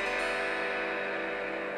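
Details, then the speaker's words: Dead Marshall Valvestate guitar amp, boost channel on with guitar plugged in: thin, faint sound that should be ear-piercingly loud; signal choking at dirty effects loop contacts between preamp and power amp. "okay what you can hear is a very"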